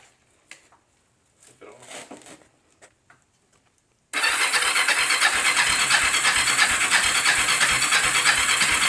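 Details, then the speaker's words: Cheap Bayou 300 ATV being started after a new fuel valve and filters were fitted, with a rebuilt carburetor; a loud steady churn about three pulses a second with no clear catch; the engine cranks but has not started. "so I guess it's time to fire it up see if I can get it started wish me luck"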